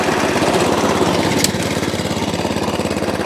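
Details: Atco Balmoral Allett cylinder mower after a full service and a slight cable adjustment: even, fast chugging with no reel clatter. With the drive disengaged the cylinder now stops, where earlier it kept turning.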